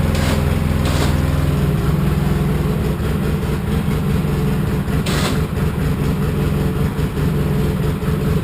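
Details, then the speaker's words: Polaris Sportsman 700 EFI ATV after installing a new Carter fuel pump (the failing pump was suspected of sending air into the fuel line): low, smooth, steady idle with no stumbling or hunting. Sounds much better. "that sounds so much better that sounds so much better yeah smooth"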